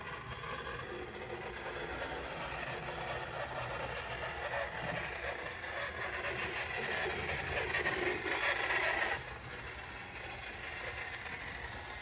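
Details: Decades-stored HO scale 0-4-0 locomotive on track after more voltage is applied: fine gritty whir with fast light rattling that builds then drops as the motor turns and runs freely.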